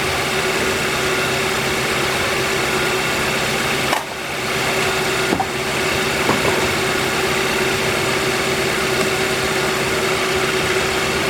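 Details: 2013 Kia Rio idling after alternator replacement, relearning after a battery disconnect. Even idle with a steady hum and a couple of brief handling bumps; the previous alternator rattle no longer comes through and voltage reads about 14 V.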